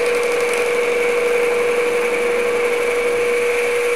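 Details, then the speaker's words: Boring the tailstock bore of a Grizzly G0776 lathe: steady unbroken high-pitched tone without chatter or gaps, cutter cutting evenly all around the bore; continuous boring cut. "alright so we're out engage the head and let it go and I can tell that's cutting all the way around now"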